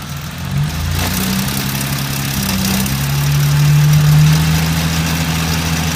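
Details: BMW E30 with S52 inline-six idling: heavy low drone with an uneven droning pulse that swells and fades; horrible abnormal engine noise, cause unclear.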